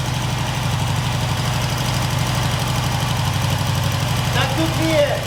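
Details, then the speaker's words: Norton 88 Dominator twin after spark plug springs checked, new spark plug fitted and plug lead reconnected: low, steady thumping idle with an even beat, no misses or stumbles; both cylinders appear to be firing cleanly. "It looks like okay, so it looks like both are firing right now."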